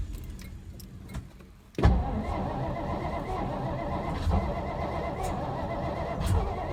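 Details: 1963 Studebaker Lark 2-door, off the road since 2010 (11 years), cranked on starting fluid: starter cranking, then a sharp pop as it catches and runs rough and uneven; backfire while cranking on starting fluid, oil pressure present.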